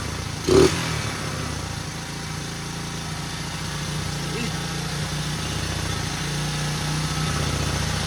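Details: 1977 Honda XL75 single, first start on one kick, carb not yet cleaned, running with choke on: steady, even putter with slight rev lift, no knocks or misses; runs pretty good, not smoking, fuel seeping around float bowl.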